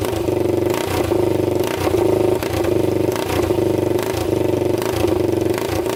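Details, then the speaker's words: 1999 Honda 400EX quad, freshly rebuilt engine (new piston, rings, gaskets) on first start, muffler off, air box fitted: single-cylinder idles evenly and picks up cleanly on throttle blips, no rattle or misfire; normal running. "all right well it's starting um we're gonna put the air box on"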